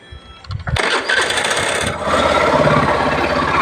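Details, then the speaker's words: Suzuki Burgman Street 125 scooter after cleaning and greasing the CVT and refitting the cover: starts on a single crank and settles into an even, steady idle with no rattle or scraping. "So, ayan guys, one click nga lang na i-start na natin. Ayan na, malinis na yan."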